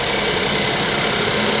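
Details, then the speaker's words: Suzuki Vitara three-cylinder engine: rough, uneven idle with a stumbling beat as a cylinder drops out; misfire, cause not found; owner suspects a previous owner pulled a fuse to sabotage it. "what the hell's going on with this car why is that why is that really missing"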